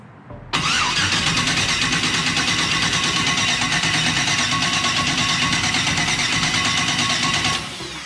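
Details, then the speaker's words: Turbo LS-swapped Mustang cranked with ignition and fuel pump off, checking suspected hydrolock-like kickback: even starter cranking about seven seconds with regular compression rhythm and no catch; rotation and cranking seem okay. "seems everything's you know rotation and cranking and moving and everything seems to be working okay"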